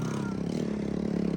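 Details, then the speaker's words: Honda ATC 110 three-wheeler after carburetor rebuild; small single revs fast and slightly uneven, then falters and dies because choke was left on: engine stalling at first start. "yes keep it alive keep it alive no the chokes on that's why we have to do it again but with the choke wall ready"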